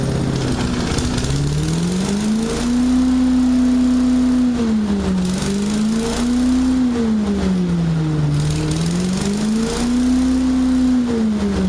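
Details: Small single-cylinder commercial-grade engine after a full rebuild, started with choke and throttle: revs up and drops back smoothly several times, clean steady note with no stumble or miss; healthy running.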